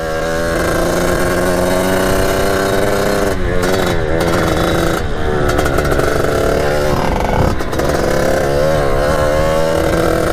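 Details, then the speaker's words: 1989 Kawasaki KX80 big bore two-stroke after jet replacement, still untuned: a steady buzz holding one speed with slight wavering and no clean climb in revs. Late power band, cause unclear. "that's how it's running weird so if anyone knows what the heck that is let me know in the comments"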